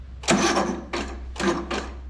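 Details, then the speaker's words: Cub Cadet RZT17 zero-turn, Briggs & Stratton Intek 31F7770318E1 engine rebuilt after apparently running out of oil, first start after carburetor install, without jump; four heavy, uneven sluggish chugs over low hum, solenoid seemingly needing more juice. Slow cranking. "solenoid need a little more juice but let's give a little more juice"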